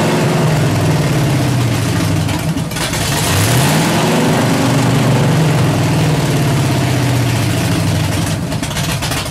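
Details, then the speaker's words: Freshly built 383 stroker V8 on a stand during break-in, headers warming; uneven spitting and popping over the rumble from valves adjusted too tight, holding them open; 1.6:1 roller rockers, valves to be readjusted. "I know there's some valves in there that's spitting and sputtering, but wow, it's hard to believe that just that having them valves too tight like that would just keep them open."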